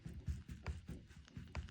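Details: VW T5/T6 DSG genuine original driveshaft, removed; soft uneven clunks as the loose shaft is worked by hand, showing play in the worn inner (gearbox-side) CV joint; fault was a slack felt on lifting off the accelerator; aftermarket shaft ordered.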